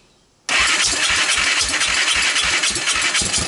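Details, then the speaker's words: Honda TRX300EX after previous-owner rebuild, cleaned carb then PZ27 swap, intake valves adjusted, portable CDI box, started on starting fluid; lumpy uneven putter, owner suspects incorrect carburetor fuel level or ignition timing, rough running after start. "the second time I started it for you guys there was less fuel so I think my my problem is this carburetor the level is not in a good place it's probably not quite flooding because I don't see gas all over the place"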